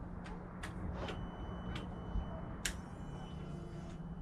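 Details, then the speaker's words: 2015–2018 Yamaha R6 after fuel tank and pump conversion, about a gallon of fuel in: key-on gives a faint steady hum with a thin high whine for a few seconds among light clicks; fuel pump priming normally. "All right, moment of truth. We're gonna prime the fuel pump. We should hear it come on."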